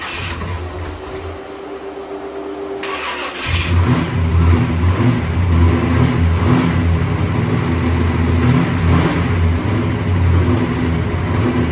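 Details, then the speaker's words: 1966 Pontiac GTO convertible V8, after white-smoke repair on a new engine, cranks, catches and settles into a lumpy but steady idle with a brief blip; slight blue smoke, owner unconcerned, sounds healthy. "she sounds good well that's a result"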